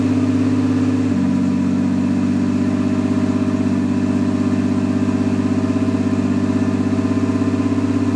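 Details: Nissan R32 Skyline GTS with swapped RB25, first start after install with correct-length driveshaft: smooth, even idle settling to a slightly lower steady hum, no misses or knocks. Later misfired badly, owner suspects overheated coil packs. Normal idle.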